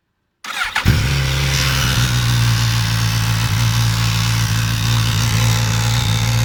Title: suzuki gsxs1000 rattle noise on cold start up